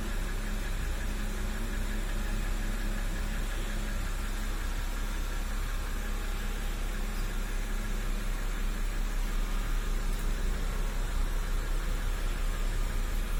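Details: BMW N52B25, 2009, 120,000 km, idling with a faint regular knock about three per second; best heard from below on a lift. Owner asks if it's a hydraulic lifter, camshaft bearing seats or bearing shells. Engine knock.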